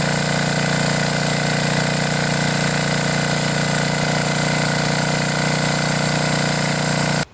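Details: Generac generator with 10 hp Briggs & Stratton single-cylinder engine after blown head gasket replacement, choke held open: steady even drone with no knocks or misses, then a clean shutdown; runs healthy.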